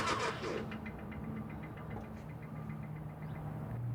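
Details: 2000 Nissan Frontier XE 2.4L: starter turns engine at steady rhythm with low compression pulses but it never catches; crank, no start, cause unconfirmed.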